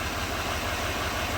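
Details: 2017 GMC Sierra 2500 HD 6.6 L diesel with P021A misfire, number seven injector not driven, after new injector connector wired in: even steady diesel idle clatter, no skips; misfire counters zero.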